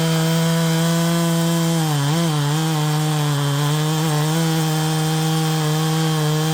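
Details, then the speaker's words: Modded Poulan Pro 5020 chainsaw with 20-inch bar and 3/8 chain, cutting wood at high revs: the drone dips and wobbles as if running out of fuel. Surging under load; owner suspects it needs leaning out. "maybe it needs to be leaned out a little bit more I was to expect from that like I'm running out of fuel"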